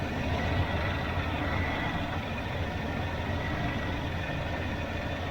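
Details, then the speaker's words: 1981 Silverado after replacing warped harmonic balancer/pulley to fix belt squawk and adjusting timing: even low V8 rumble, no squawk or chirp; normal idle. "like it's pretty straight okay I adjusted the timing a little bit so it seems to be okay"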